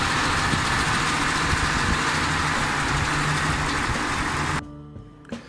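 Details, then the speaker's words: 2010 Ford Expedition 5.4L 3-valve V8, idling in drive under light brake load during a VCT solenoid unplugging test: light quick ticking about four per second. The cause is suspected to be the cam phasers or timing components and is not confirmed. "so there is been here a slight ticking sound that's what I was hearing"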